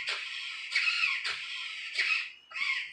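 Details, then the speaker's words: RC Vekta clone build, heavy steering setup on a battery reading 5.7 V: the steering servo gives five short high whining bursts in three seconds, straining and failing to center; owner suspects too little battery power, with a LiPo or LiFe considered. "You can hear that servo humming, huh?"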